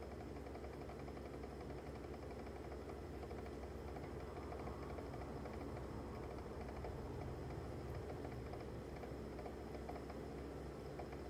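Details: Frigidaire Gallery refrigerator makes a loud, steady low hum and rumble, heard from the next room and far louder than a normal fridge; sounds occur at random times and persist after two repair attempts; cause unknown.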